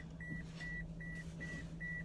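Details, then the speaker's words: Toyota Matrix, 10–12 years old, on first drive after engine replacement, recorded in the cabin; steady high beeps about 2.5 per second over low engine hum, believed to be the seatbelt reminder: seatbelt warning chime. "Got that nice beeping sound. I'm sure from seatbelt."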